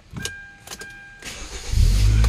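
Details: Hyundai Tucson that previously cranked but wouldn't start and had no throttle response, repaired earlier via the ECU, now tested without a passcode: a few key clicks and a chime, then it catches almost at once and settles into a steady low rumble, a clean start.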